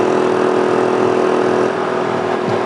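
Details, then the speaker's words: Small 800/1000 W generator powering a Frigidaire 5000 BTU air conditioner, thermostat turned down to shut the compressor off: steady mid-pitched engine drone that eases and quiets as the compressor load drops; generator runs normally. "Okay, now the question's going to be, I'm going to turn the thermostat all the way down, make the compressor shut off, then I'll turn it back on. We'll see if it kills the generator or not."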